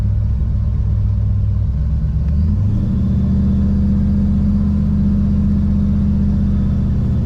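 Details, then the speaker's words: 1987 Chevrolet Monte Carlo SS V8 converted to EFI, driving with a reading of about 190, air-fuel around 14, not yet into boost: deep, even rumble with pitch stepping up smoothly, no misses or stumbles; healthy, normal running. "You notice how it doesn't smell like No. nasty? Yeah, no, it just sounds healthier. It does."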